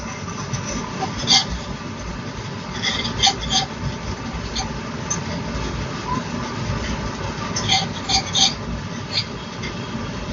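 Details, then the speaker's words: Sonofresco 2 lb coffee roaster, cold start at -15°C outdoors, about 12:40 into the roast: second crack, sharp light matchstick-like snaps in small clusters over steady drum and burner rush, lighter than first crack. "That's the second crack. The second crack is more like breaking the matchstick. It's more a lighter sound than the first crack."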